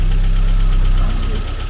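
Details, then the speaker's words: Mercedes 190E 2.3 16v Cosworth Evo idling: heavy, low, lumpy idle with occasional stumbles, running on a dead cylinder 1 (0 compression, others 90–100%), with oil in the head and low oil pressure; stuck piston ring suspected. "so it’s a good test and you can see here that the car is missing a cylinder."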